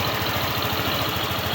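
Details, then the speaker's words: Euro Samurai 155 scooter after tune-up and valve clearance reset (was loose and ticking): steady, even idle with soft regular pulse and no top-end ticking; engine quiet and healthy, normal idle. "Ayan, tahimik na makina niyan, all goods na yan."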